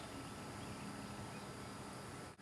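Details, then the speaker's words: Fuel pump running with its relay socket jumpered and the key off: a steady, even electric hum with no surging, and a low-amp probe later shows a good current pattern. Normal fuel pump running. "you should hear the fuel pump run at that point key doesn't even have to be on the fuel pump is running now"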